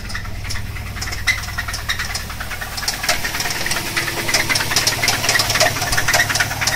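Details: Cheap Subaru Legacy B4 with a 2.0 L EJ20 boxer engine that blew four months after purchase; heavy, uneven metallic knocking of about two knocks a second over a low idle rumble; severe engine knock.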